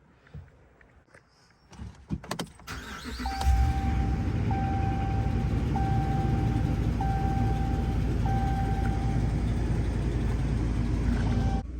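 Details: 2014 Ram 1500 5.7 Hemi after replacing the cylinder 6 MDS solenoid and fixing the misfire: starts and settles into a smooth, even idle under a dash chime. P1416 is now inactive, cylinder 6 apparently not misfiring, normal idle.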